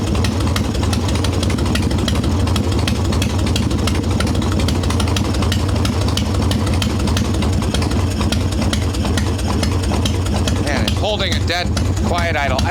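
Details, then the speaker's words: Harley Evo Softail V-twin, ice-cold engine, after fixing loose intake bolts, cracked vacuum cap and idle speed screw: steady, even low idle with a smooth lumpy beat, no misses or knocks; idle returns as it should. "idle returns like it's supposed to this is an ice cold motor too so you really don't want to mess with those mixes too much it's got to warm up a little bit"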